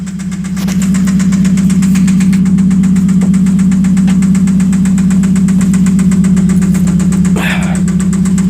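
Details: 1991 spec Mazda Miata at idle: regular knock about four per second staying even throughout; oil pressure still good, origin unknown.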